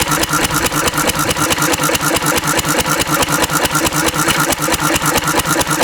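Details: Antique Cushman Cub four-stroke three-horsepower throttle-governed stationary engine running on Zippo lighter fluid: crisp, even single-cylinder popping at steady governed speed, no stumbles or misses; runs fine.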